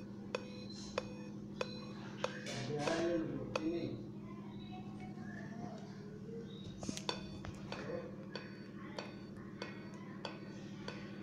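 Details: Dell Inspiron 5521 laptop at power-on: seven sharp, evenly spaced clicks, about one and a half a second, over a low steady hum.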